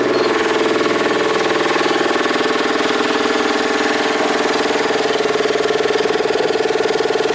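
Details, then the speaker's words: Coats Baseline 200 tire machine setup, air compressor running continuously: loud piston pounding steadily at about four beats a second, with hissing still going after a couple of minutes from an air leak. "As you can hear, or maybe you can't, you hear that? It's still hissing. This is like a couple of minutes now, it's still hissing."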